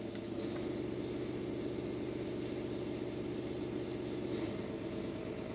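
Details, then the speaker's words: Boat main diesel engine, cold (coolant 23–24 degrees), at 1,000 RPM after fitting a vacuum sensor to the Racor fuel filter manifold, reading 1.8–1.9 negative PSI: low, even throb at steady fast idle with no hunting or surging; normal. "So that's only 1,000 RPM. And I realize it's a cold motor, but we've still got how many degrees of temperature?"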